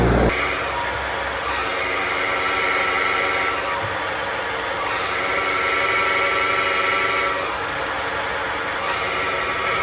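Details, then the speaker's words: Nissan NP300, recorded under the truck at the transmission bellhousing: a steady metallic whir with a high ringing tone over idle when the clutch pedal is pressed, stopping on release. This points to a worn, dry clutch release bearing. "el collarín cuando está malo empieza a sonar es un balero que dentro lleva pequeños balines estos balines son engrasados con una grasa especial"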